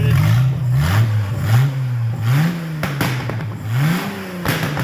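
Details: 1996 Mercruiser 4.3 crank kit on bench test, electric fuel pump drawing from gas can, Mercruiser electronic ignition, cold day with steam in exhaust: engine catches and revs cleanly in repeated smooth blips without knocks; healthy normal running.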